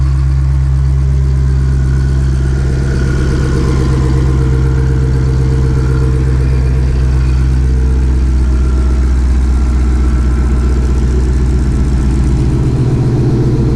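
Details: 2020 Shelby GT500 Mustang V8, freshly fitted with a Whipple 3.8 supercharger, idling while warming toward operating temperature: low, steady rumble, even and unchanging, with no ticks, squeals or misses. Normal idle.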